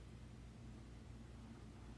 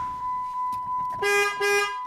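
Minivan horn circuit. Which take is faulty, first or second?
first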